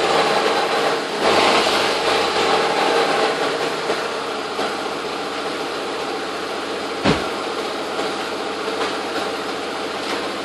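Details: 2001 Audi A4 B5 AWM at idle after a timing belt and accessories job: a light, fast mechanical ticking about three or four per second; the source is unclear.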